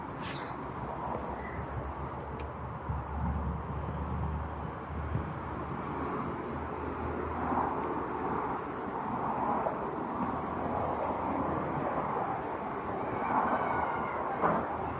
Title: Lexus Ls460 GDI Injector misfire 🚗🚗🚗 #automobile #mechanic